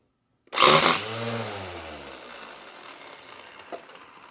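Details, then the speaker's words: Black & Decker LST220 cordless string trimmer after repair (re-soldered connector; would not start even with a new battery): motor whirs up as over-long line snaps off, then spins down smoothly with no grinding; running normally. "That is Grandma's whippers snapper ready to go."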